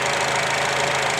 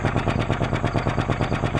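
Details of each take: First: 2004 Acura with 2.4 i-VTEC DOHC engine, previously shaking with misfire codes P0301–P0304 on all cylinders, now idles steady and smooth with no stumble after the fix. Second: 2004 Acura 2.4 i-VTEC DOHC, codes P0301–P0304, flashing check engine light, heard at the tailpipe: sharp regular pop-pop-pop about seven per second with a raw fuel smell; one cylinder not firing, misfire.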